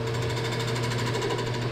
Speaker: hear that chatter that chatter is the globe flexing so I just had to stop my thinning process otherwise I would just poke right through it